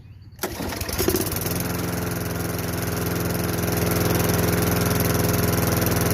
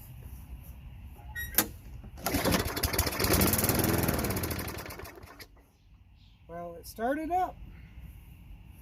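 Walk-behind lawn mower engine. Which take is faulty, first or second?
second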